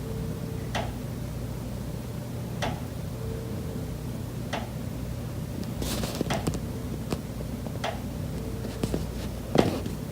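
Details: Condo unit, September: sharp, hollow knocks every second or two over a low room hum. Pipes behind the kitchen wall knock constantly day and night, audible through the kitchen and living area; cause unknown.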